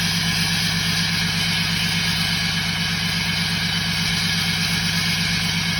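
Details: 2017 Ram 6.7 Cummins diesel, tuned and deleted, at high idle: even rumble with steady high turbo whistle on top; normal turbo spool, nothing abnormal.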